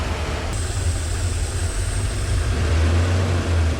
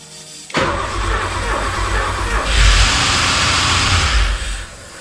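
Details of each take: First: Porsche 928 M28/12 4.7 L 300 hp overhead-cam K-Jetronic V8, run after sitting 20 years, idling at 850 rpm: deep, steady, even rumble with no misses or hunting; normal warm idle. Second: Porsche 928 4.7 L K-Jetronic V8 after sitting 20 years, fuel tap just opened, throttle plate still stuck down: cranking with one brief cough, never catches. Suspected lube sticking the throttle; stuck down it would run far too lean.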